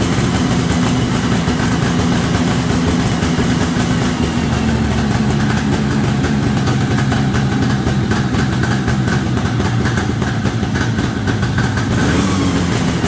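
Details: 1973 Columbia snowmobile two-stroke, after reconnecting the crankcase-to-carburetor pulse line on the rebuilt diaphragm carb. Steady, continuous idle with an even rapid burble and no misses or cutting out: normal idle, resurrected after about 15 years.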